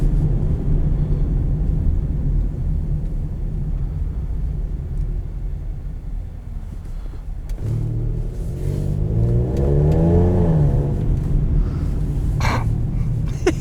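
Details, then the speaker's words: 2014 Lincoln MKX auction car on a test drive under acceleration: deep rumble building as it pulls, with a rough chuffing edge likened to a Raptor. Known exhaust leak. "oh I love exhaust leaks that just makes it kind of you know what it sounds like a Raptor I knew it sounded familiar"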